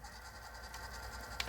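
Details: Sony TC-C5 five-tape auto-reverse cassette deck, before teardown, with corrosion seen on the metal tray: fast forward gives a light steady whir with a thin high tone, ending in a click; the transport runs smoothly.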